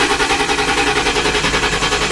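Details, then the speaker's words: Crown Victoria Police Interceptor that won't start: fast, even cranking at about nine pulses a second that never catches, because the fuel cutoff switch had tripped; pushing it back down fixed it. "This got tripped, so this was up, so I just pushed it down"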